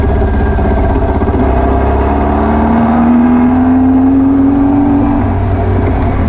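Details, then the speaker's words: VW beach buggy with an air-cooled flat-four, on a road test after new plugs, leads and distributor arm: it still misfires, popping and stumbling under acceleration. The owner suspected over-fuelling, but the cause proved to be a blocked idle jet in one carburettor. "as you can hear from it running it's misfiring still I think it now maybe over fueling"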